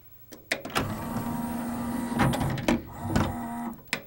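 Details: CLD-M301 laserdisc player's disc tray, freed after sticking, cycling with a steady low motor whir and a few clicks at the start and end of travel; it runs smoothly and evenly.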